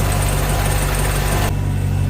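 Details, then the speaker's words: Volvo Penta 6.0 marine engine just started after head gasket install, warming up: smooth, even low idle with a steady rhythm, no knocks or misses; no leaks seen, sounds good. "it sounds good i don't see any leaks down here anywhere looks good over here too"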